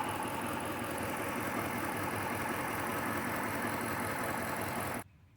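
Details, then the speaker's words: Rebuilt HEMI V8 Chrysler 300, compression all okay: uneven loping idle with a stumble every few beats; persistent misfire not fixed by swapping plugs, injectors and coil packs. "I mentioned that we had a misfire right after we got the car running. I unfortunately haven't been able to rectify that misfire."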